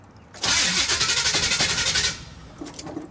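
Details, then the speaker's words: 1977 Chevy Monte Carlo, off the road for decades, with distributor problem, starting after battery reconnected and fuel pump primed: harsh metallic whirring crank chugging about four times a second; starter engaging loudly, needs shimming. "wow that starter is loud I'm going to have to shim that"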